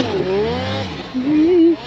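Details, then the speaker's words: Silber turbo Polaris 9R snowmobile, first day of testing in Revelstoke: engine pulls with a rising note, drops out briefly, then pulls again; bogging under power, won't stay fully in the power. "Uh, it doesn't want to stay fully in the power, I'd say. You can kind of hear it cutting out."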